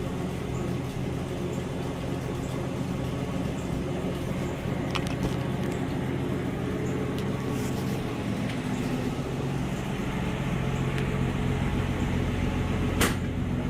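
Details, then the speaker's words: 1967 Mustang, hood up, two years after first start following 22 years sitting: steady low idle rumble, no knocks or misses, slightly muffled by outdoor background; runs healthy and even. "let's listen to her tell you two years ago just hearing that engine run again after 22 years it was like music to my ears running out pretty good"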